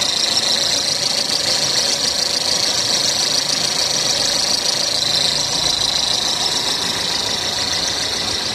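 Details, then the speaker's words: Maruti Suzuki Ertiga petrol engine at idle with a steady high-pitched whirring hiss from worn fan belt pulley bearings, before replacing them with new bearings. "ਇਹਨਾਂ ਦੇ ਵਿੱਚੋਂ ਨਾ ਆਵਾਜ਼ ਆ ਰਹੀ ਹ ਆਹ ਬੇਰਿੰਗ ਦੇ ਜਿਹੜੇ ਖਰਾਬ ਹ"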